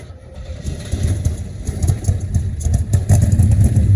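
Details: 1972 Chevrolet Constantia (Holden) being revived: deep engine note swells unevenly under throttle and stumbles irregularly, dies when brakes applied; misfire from a broken distributor cap.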